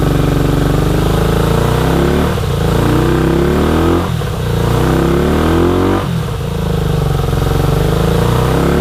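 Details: 1983 Honda VT250 V-twin, 63,500 km, carb slides freed: deep, even idle with clean blips that rise and settle without knocks or rattles; runs healthy though needs a tune-up.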